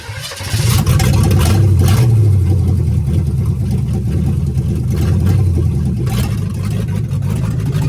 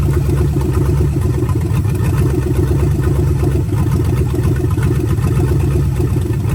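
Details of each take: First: Budget $500 283 small-block Chevy with Turbo 350 in 1985 Oldsmobile Cutlass, headers said not to fit properly, driving slowly in the yard: heavy, uneven loping low rumble with irregular beat; runs rough, needs a lot of fine tuning. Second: Budget 283 small-block Chevy with vacuum-secondary carb, freshly swapped into 1985 Oldsmobile Cutlass with turbo 350: deep even V8 idle with steady lumpy pulses, no knocks or misses; ran full cycle, thermostat works; normal idle.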